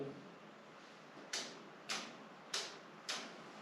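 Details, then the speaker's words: Perkins diesel on a gutted steel sailboat, before its first start after a year: the electric fuel pump, fed 12 V from one battery through a switch, clicks crisply and evenly, nearly twice a second, running normally. "so if my calculations AR right turn it on we'll hear the fuel pump clicking"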